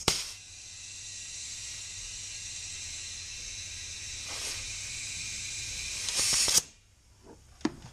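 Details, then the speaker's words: Mitsubishi Evo X boost leak test at 5 psi with oil cap removed: loud, steady high-pitched hiss for about six seconds, then sharp cutoff as a coupler blows off; leak also found at the diverter valve rubber hose. "Alright, now you guys hear that? There's a giant leak somewhere. That's not good."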